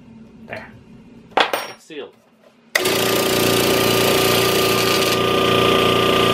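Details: Eagle 1.5 hp air compressor after pressure switch repair, regulator replacement and taped fittings: a few clicks and clatter, then a steady, even hum and hiss building to about 80 lb; sealed, normal running.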